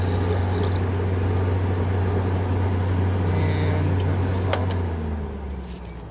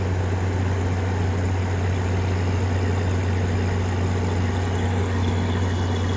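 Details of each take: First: 2014 Frigidaire 5000 BTU window air conditioner with Welling fan motor, unused about five years: low steady fan hum with a light brushing tick about four per second while spinning down, caused by a leaf rubbing the fan blade. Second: 2014 Frigidaire 5000 BTU window AC with a GMCC compressor, used about three times then unplugged for five years, running on low cool after cleaning: steady, even low hum with a soft airy rush, no knocks; the compressor runs quiet and normal.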